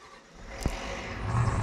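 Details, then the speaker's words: Ford 7.3 IDI diesel cold start on starting fluid during 1979 Ford truck build: cranking then sharp catch and rough low diesel rumble building steadily; normal cold start. "Well, the old ace, cold start, and the old well, everything's a cold start for a 7.3 IDI. Listen to it out there."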